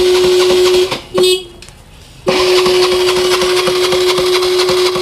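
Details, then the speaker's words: TVS Jupiter scooter with starting problem, self-starter cranking: steady high whine and quick rhythmic turnover but never catches; mechanic first suspects current, shorted plug or petrol. "इसमें जो तो किसी किस्म का कोई भी प्रभाव नहीं पड़ रहा है, मतलब ऐसा लग रहा है कि या तो इसका करंट गायब है या प्लग शॉर्ट है या फिर इसका पेट्रोल का प्रॉब्लम है।"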